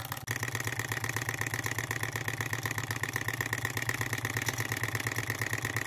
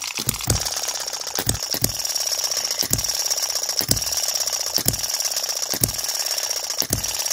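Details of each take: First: Model engine after first repair on a new lathe, burner set where wanted, at preferred speed: even chuffing about two to three pulses a second with steady ring, beautiful smooth sound; normal running. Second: Miniature model engine ticking rapidly with a sharper knock about once a second from the connecting rod small end, not too loud but audible, after the spring was tightened slightly to speed it up.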